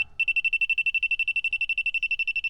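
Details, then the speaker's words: Car A/C leak detector sniffing low: rapid, steady high-pitched beeping alarming on a layer of refrigerant; leak narrowed to the expansion valve or evaporator. "there is a layer of refrigerant there so thank God I narrowed it down it is either expansion valve or the evaporator"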